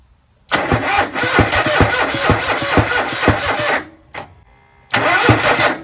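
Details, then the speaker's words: Toro Z-Master 5000, rebuilt Kohler 26.5 EFI ECV749 V-twin, cranked after a backfire pop on a drained battery: uneven cranking with irregular chuffs and no firing; owner suspects bent push rods leaving the valves not opening. "But I didn't like that pop. I'm sure you guys would agree that it sounded different after it popped. That sound afterwards sounds like what was going on with my other tractor, the DLT 2000."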